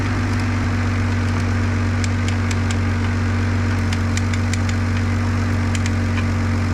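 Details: 2006 Ford Fusion after replacing all three engine and transmission mounts, upper bolts torqued to 46 ft-lb: steady, even low idle hum with no knocks, clunks or shaking, a few light background ticks; engine idles smoothly.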